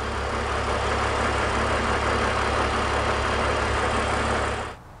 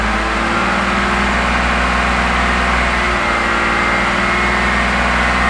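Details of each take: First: BMW E46 330i/325i inline-six at raised RPM during fuel-trim diagnosis with a deliberate vacuum leak, then reconnected: steady, even engine run with no hunting or stumble until shutoff; normal healthy idle as fuel trims return to normal. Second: BMW E46 330i/325i, large vacuum leak deliberately made, engine held at raised RPM: lumpy, uneven drone as it misses; fuel trims climbing over 20, heading for P0171/P0174; vacuum leak misfire.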